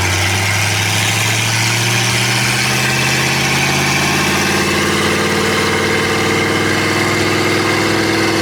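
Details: Budget LS-swap Mustang, 4L80 automatic won't upshift out of first despite a new internal harness, new ISS and checked fluid. Engine drone climbs and holds high with no shift drop; cause unknown, owner suspects a bad transmission or no shift command from the computer.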